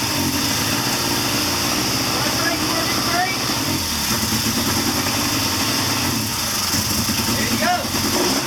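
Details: 1979 Triumph Bonneville T140D Special twin, after clutch repair, third gear held against front brake: steady even rumble under load, no slipping or clatter; clutch engaging properly, normal running in gear.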